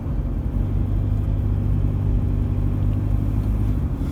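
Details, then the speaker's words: Same diesel near full operating temperature: an even, light diesel clatter with no sharp knocks, now just a normal diesel rattle. The bad combustion rattle heard when cold, possibly from faulty injectors, is hidden once warm. "do you notice the difference it's just your normal diesel rattle now"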